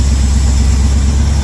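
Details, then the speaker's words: 1982 Chevy K10 V8 that sat about 5 years, oil pressure good but apparently not charging: a deep, steady burble with an even beat and no stumbles; all cylinders are firing for a smooth, healthy idle. "Man, she's running smooth now. I'll tell you what."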